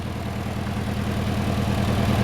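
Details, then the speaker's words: Datsun B210 idling in neutral after rusty fuel filter replaced. Steady low rumble with smooth regular firing, no misses or knocks; much quieter than before. "oh this is so much quiet I think we can deal with that"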